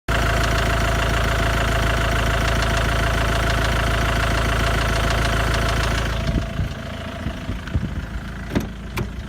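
Engine idling with a steady light tick about three per second over the low hum, then it shuts off; source unknown.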